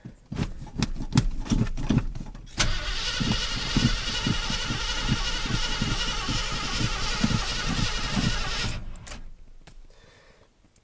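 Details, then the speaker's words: Pickup truck: the starter churns the engine over at a steady two and a half beats a second for several seconds, but it never fires; crank, no start, and the owner suspects it is out of gas. "fire up a pickup first oh Pump It Pump It I think I might be out of gas"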